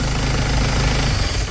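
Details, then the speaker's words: Isuzu TFR Dragon diesel after replacing the failed fuel-pump shutoff solenoid that made it shake at key-off: engine rumbles briefly, then winds down and stops cleanly after key-off, no run-on or shaking; normal shutdown. "อ่านี้ติดเครื่องเรียบร้อยนะครับเดี๋ยวเราลองดับเครื่องดูนะครับว่าเป็นยังไงมั่ง"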